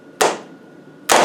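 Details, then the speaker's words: 200 Tdi diesel starter motor (same as 300 Tdi) bench-tested on an engine rebuild: two sharp solenoid clunks about a second apart with no motor whir after either; solenoid clicks but the motor does not spin due to dropped brushes. "But nothing on the outside. Stop it. But the motor's not working."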